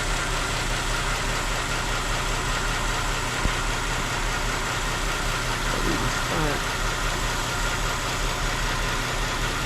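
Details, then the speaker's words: 2008 Chrysler 300 2.7L V6 at idle after water pump and timing chain job, cylinder 1 misfire persisting after coil swap: faint airy hiss near intake, vacuum leak at intake manifold gasket; gaskets to be replaced. "Yeah, I can hear that leak. Air leak down in there."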